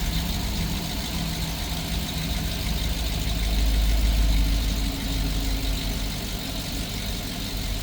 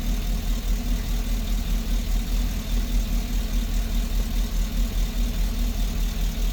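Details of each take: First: GMC engine idling after replacing the cylinder 6 spark plug, ignition wire and catalytic converter for a cylinder 6 misfire and P0420 code: steady, even idle with smooth low rumble and no skipping beats. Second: GMC Engine Cylinder # 6 Misfire. P0420 Dtc Code.Replaced Sparkplug Ignition Wire And Catalytic.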